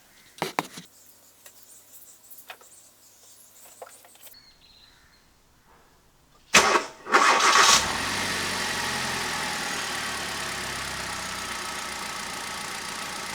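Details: Hyundai i10 engine just after a spark plug replacement: the starter catches and the engine settles into a smooth, even idle with no misfire or stumble; healthy.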